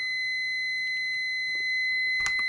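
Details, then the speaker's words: Multimeter continuity beep test for automotive fuses, with test leads reading 4.2 ohms: a steady high-pitched beep continues even as resistance is stepped up past 90 to 99 ohms. The continuity beep is still sounding at high resistance. "How often have you heard a mechanic in a YouTube video testing a fuse where it's beeping like this? Intermittent pulsing. Oh, if it beeps, it's good. No."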